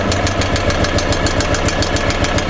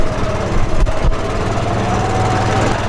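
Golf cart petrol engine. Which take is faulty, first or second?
first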